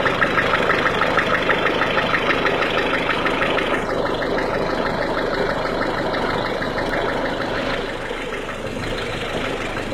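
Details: 1.6 HDi diesel at cold idle: steady idle with a sharp, even clacking of about three ticks a second riding over the engine; a clear cold-start clatter, source unknown.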